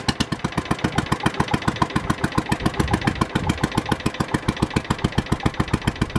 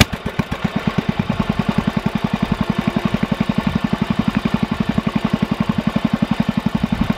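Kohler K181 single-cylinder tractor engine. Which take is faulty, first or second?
first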